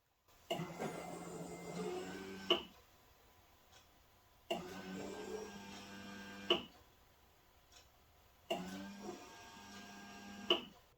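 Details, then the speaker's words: 2.0 TDI (Seat Exeo/Audi/VW family) after fuel filter replacement, in-tank pump run via diagnostic auxiliary fuel pump relay: three two-second runs every four seconds, steady whirring hum and gurgling as air bubbles purge; normal priming. "priming process so you can hear it I'm gonna stop speaking so you can hear the pump running"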